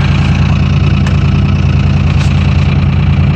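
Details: 2001 Dodge Cummins diesel, after a -4°F cold start in three-cylinder high-idle mode: deep, even diesel clatter at a raised steady idle with no misses, putting out smoke; cold engine warming up normally.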